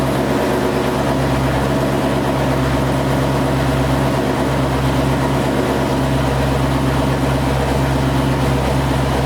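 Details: Corvette C6 V8 at warm idle on first start-up after a failed-lifter replacement, later warmed above 220 with air still in the coolant; smooth, even low rumble, steady beat, no ticking or knocking: normal idle after repair.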